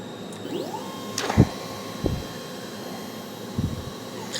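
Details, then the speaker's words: Ricoma REVEL DTF-2402 DTF printer running a nozzle check after a head clean in morning maintenance: soft motor whirs, carriage sweeps and light thumps, even and unforced. Normal operation. "and then I print a nozzle check so this is actually my second time this morning because you can see I've already got a nozzle check that I printed"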